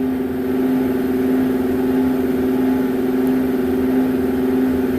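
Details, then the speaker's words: Wood gun furnace with newly installed fan motor and fan assembly, quiet at first but after lighting a fire: steady hum with a slow rhythmic pulsing swell about ninety per minute; cause unknown, fan blade possibly suspected. "this one is making some sort of rhythmic harmonic sound if you can hear it but it's like wall wall wall"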